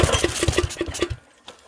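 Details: Tiller left with old fuel over winter, fuel hose clamped: sharp regular firing pops about five a second as the small engine catches; starts and runs.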